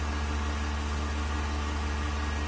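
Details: Vacuum pump on a 1600-litre mixer during a vacuum test with an empty chamber, vacuum about 0.09; steady low hum with even, unchanging whir, no knocks or surging, pump working stably with very low noise, meeting the vacuum requirement.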